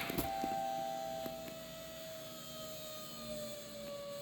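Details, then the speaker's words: 2019 Ram 3.0 EcoDiesel, key on after fuel filter replacement during 20k/30k maintenance: steady mid-pitched electric hum of the fuel pump priming, slowing and settling as air is purged; normal priming. "Because we did that fuel filter, we need to prime the fuel system. So I'm gonna go key on, 2 clicks. Hear the fuel pump running."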